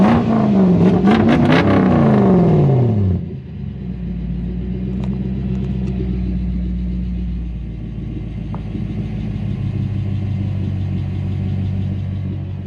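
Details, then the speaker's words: Mazda B2500 ute with 1UZ Toyota V8 swap, after repairs: brief rev falling to a steady, quiet idle with no popping or misfire; loud ticking from big injectors also gone. "just it's really really quiet um i can't hear the popping anymore pop pop"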